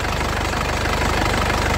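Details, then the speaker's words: Isuzu Panther LS Turbo diesel, late 2007, about 103,000 km: steady, even low rumble at idle with regular pulses, calm stable vibration, no misses, tapping or smoke; engine judged healthy. Normal idle. "jadi Insyaallah tidak ada mobusnya mesinnya benar-benar sehat Lur Insyaallah tidak"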